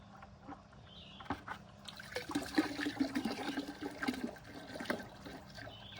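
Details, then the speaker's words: DIY off-grid water well after a vinegar and citric-acid treatment, pump running near the end of the drawdown: uneven trickle with bursts of gurgling and air bubbles instead of a smooth flow. The well is pumped down and the pump is sucking air. "But regardless, it's not like it's just flowing, like you can hear it's towards the end. Gurgle, gurgle, gurgle, and I can see water bubbles coming up here."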